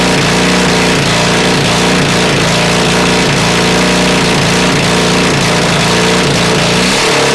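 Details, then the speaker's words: Honda CB450 engine with 400 carbs, a 400 CDI and a 250 wiring loom, first start ever on an auxiliary fuel tank: loud, uneven revving with ragged firing and exhaust popping, with flames from the exhaust. Runs rough and sounds very hot. "The exhaust end's there, so there was flames shooting out the exhaust."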